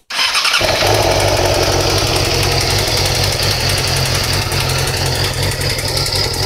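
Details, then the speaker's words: 2008 Yamaha R6R motorcycle, cold start after sitting off all night: engine catches into a fast cold idle with a hard metallic clatter over the exhaust that comes on then goes away; while riding the noise follows rpm and stops when the clutch is pulled in. "pretty much uh bike's been off all night gonna turn it on and let you hear that noise how it comes on and then goes away"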